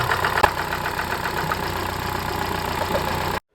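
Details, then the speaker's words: Opel Astra engine after full rebuild (crank within tolerance, head milled, worn parts and seals replaced) idles steadily with a fast, light tinny rattle on top: loose timing belt cover buzzing. "Бряк кожух ГРМ А вы скажете что мы зря разбирали двигатель"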